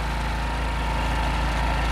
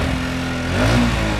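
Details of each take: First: Honda Wave S110 whose revs hung after releasing the throttle, after tightening a loose intake bolt that caused an air leak: even, steady idle settling back smoothly with no hunting or hang; engine sounds right. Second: Honda Wave S110 scooter: engine revs stay high and sag only slowly after the throttle is released, a hanging high idle. The finding is an intake air leak.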